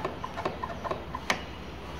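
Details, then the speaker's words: Ola S1 Pro electric scooter, after service center repair: irregular light ticks about three a second over a faint motor hum at the very end of forward throttle; ticking noise at full forward throttle. "okay even the forward is making some kind of noise at the very end"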